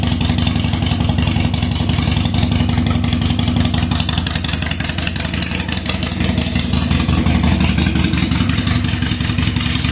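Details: 2007 Harley-Davidson Sportster 883 Low after reassembly, with an inline fuel pressure gauge reading about 60 psi (spec 55–62). An even, loping V-twin idle at about three beats a second with no misses: running well, normal idle.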